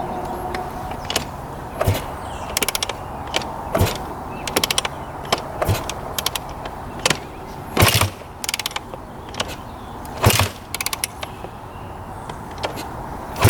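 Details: 2001 Honda CR250 two-stroke, long-sitting, repeated kick strokes with clunks and ratcheting but never fires; won't start. Old fuel looked heavily oil-mixed and purple, owner suspects it and drains it, not confirmed.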